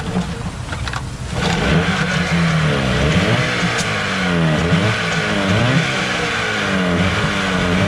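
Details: Suzuki 15 HP outboard that was hard to start, after cleaning its dirty carburetor: catches after a short pull, then revs and holds a steady, even beat with no stumbling or misfire. Running normally.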